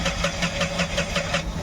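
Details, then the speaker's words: Tata Ace Gold BS6 diesel: starter churns steadily at five or six pulses a second but engine never fires; scan shows crank sensor no-signal code from damaged crank sensor wiring. "आपको cell मार के दिखाता हूं यहां पर इशन बंद करके on करता हूं और यहां पर सेल्फ मारेंगे देख सते गाड़ी चालू नहीं हो रही"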